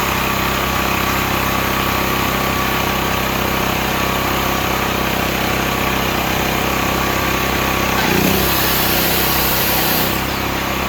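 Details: Stanley 8000 W all-weather generator, bought used after sitting four years, run after starting fluid, meter reading 7 (possibly 7 hours), new air filter; steady, even drone holding speed, no hunting or surging; running normally.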